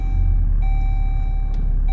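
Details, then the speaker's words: Jeep, engine just restarted after switching off: two clear high start-up warning chimes about 1.25 s apart over a low engine rumble; owner finds it annoying as it keeps beeping while the radio connects to the phone. "the annoying part it's still beeping so we just wait for the radio to connect to my phone"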